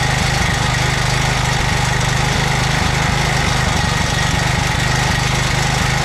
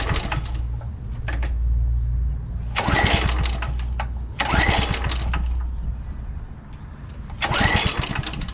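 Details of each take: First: 2007 McLane reel mower small engine after a carb clean, on choke at fast throttle, running on fuel poured into the carburetor bowl with no tank fitted. Catches and holds a fast, even beat with no misses or knocks; normal running. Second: 2007 McLane reel mower, which fires and shuts right down, cranked on choke in wind (about 84°F): three sharp recoil pulls, each dying at once without catching; a no-start.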